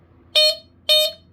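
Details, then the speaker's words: Guard Site (Emhart) 095-615 hardwired smoke alarm, tested via slightly finicky side test switch while on carpet: two loud shrill beeps about half a second apart, clean and strong; horn works properly. "it does work. It's kind of a little bit finicky, but that's just because I have it on the carpet, so it's not really that secure."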